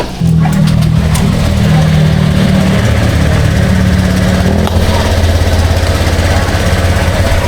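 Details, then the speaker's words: Honda Click 125 V3 scooter after replacing a very dirty mushroom air filter over 2 months old: catches and holds a steady low idle with a brief blip, no stumbling; no longer dies as it did on morning starts. "So ayan guys, hindi na siya namamatay. Kasi nung hindi pa natin to pinalitan, kada start ko tuwing umaga."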